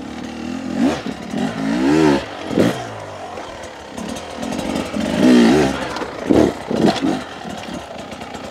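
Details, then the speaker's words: Beta 250 two-stroke after jetting change (38 pilot, Suzuki ECJ needle), steady low throttle with clutch slipping: smooth, even pull off the bottom with no stumbling; much cleaner and less uneven. "nice you can hear it's a lot lot cleaner down on the bottom not so uneven"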